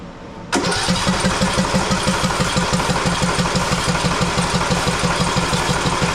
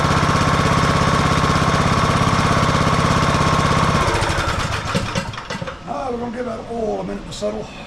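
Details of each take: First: Husqvarna YTH18542 riding mower, 18.5hp Briggs & Stratton Intek that died during use: after carb cleaner is sprayed into the carburetor, the starter churns it steadily at about three beats a second but it never fires, so not a fuel problem; spark plug checked next. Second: Husqvarna YTH18542 riding mower with 18.5hp Briggs & Stratton Intek single-cylinder, which had died during use and wouldn't crank: after an oil top-up, the engine fires and runs with a steady, even thump for a few seconds, then shuts down; sounds healthy.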